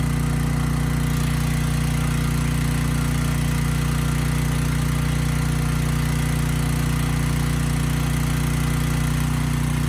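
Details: Briggs & Stratton Storm Responder generator (model 030430-00, engine 21T212-0116-G1), previously stuck at TDC with fuel-flooded oil, final test after repair: steady even drone, no hunting, misfire or knock; speed raised to 61.5 Hz, loaded to 3000 W and holding 60 Hz.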